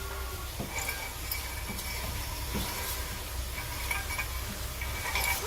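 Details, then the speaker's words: 2020 Dodge Charger with a rear-end rumble, heard at one rear wheel only: irregular light metallic clinks and grinding over a low hum, broken parking brake shoe parts rattling inside the rear drum. "I see I can hear stuff grinding. Let's see. Do I hear it on this side? No. Everything I'm hearing is over here, guys."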